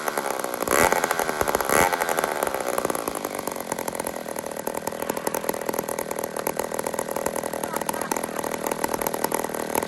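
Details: Old 150 chainsaw made in Toronto, Canada, after carburetor work: fast, crisp buzzing holds even and steady with no misses or surging; normal clean running.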